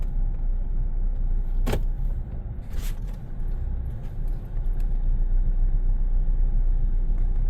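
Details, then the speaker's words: 2018 Chevy Silverado 5.3 V8 running terribly, whole truck shaking; lumpy, uneven stumbling idle with a loping beat, a dead miss; cylinder misfire traced to a torn, damaged spark plug wire. "That's not me shaking the camera. That's the whole truck doing that. It's like, it's really bad. Okay. So we obviously have a dead miss somewhere."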